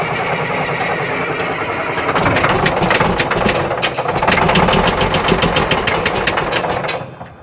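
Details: Old Caterpillar 977L track loader diesel: catches and runs unevenly with sharp irregular knocks, surging and backfire, then dies away; sounds like it's going to come apart.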